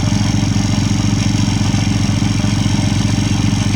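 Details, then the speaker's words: Honda Wave 100 motorcycle with no-start fault, rewired back to AC ignition; rapid regular clatter over idle about two beats a second from inside the magneto/stator cover area, cause not yet found; abnormal engine noise. "เราจะรื้อหาสาเหตุที่เครื่องดังนั้นนะครับเราจะรื้อฝั่งไหนก่อนเราจะเช็คยังไงนะครับพี่น้องFCอยู่ๆเครื่องมันดังขึ้นมาแบบนี้นะครับพี่น้องนะ"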